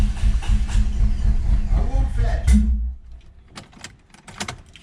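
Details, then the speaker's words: Honda Civic B20, day two after block weld repair of broken VTEC fitting hole: starter cranks about four beats a second for 2.5 s, no firing; crank no start, owner suspects alarm system, earlier suspected no fuel. "this is currently day two of working on the honda like you saw it's all back together and the car doesn't want to start"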